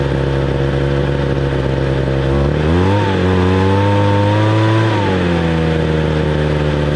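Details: 2015 Hitachi blower with a 26cc two-stroke engine, started for the 2020 season: a steady buzz, then a clean rev that climbs and settles back smoothly with no stumble. Normal running; it gets pretty hot.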